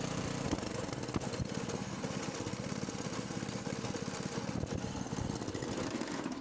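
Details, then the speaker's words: Petrol single-cylinder generator after an engine overhaul; with choke pulled back, throttle raised and petrol on, it starts first pull and chugs at a steady, even beat with no misses or surging. Normal running. "तो ये आपने देखा बिल्कुल first kick के अंदर start हो गया है।"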